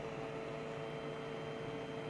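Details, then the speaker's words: Faint, steady hum with one quiet even tone from the small fan in a Retroflag MegaPi case for a Raspberry Pi, after rotating the fan to stop vibration; spins smoothly with no rattle or buzz. "can probably hear it going a little bit, so it's not too bad really... is it.."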